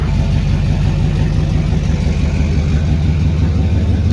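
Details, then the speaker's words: Rebuilt Duramax diesel truck started after being moved around the shop, so not truly a cold start, with no exhaust fitted: a loud, even open-pipe idle with a deep steady pulse and no misses or knocks; it runs well. "I don't even know that it's technically a cold start. Sounds good."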